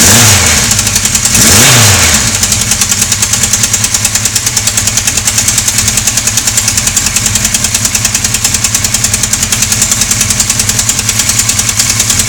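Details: Engine running with a steady, fairly even knock of about three per second through idle and revs; source unclear without more checks; engine knocking noise.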